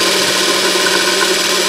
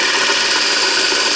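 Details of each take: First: 24 V DC motor (prime mover for a 1943 GenEmotor loop project) after service, seals removed, very thin oil, no bearing caps: smooth, even hum, light brush hiss, bearings faintly audible, no arcing; current draw dropped from 3.96 A to about 1.9 A. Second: 24 volt DC motor reassembled after service, seals removed, very light oil, brushes and armature cleaned: loud steady high hiss and rasp while spinning fast; light bearing noise from the very thin oil and uncapped bearings, no sparking.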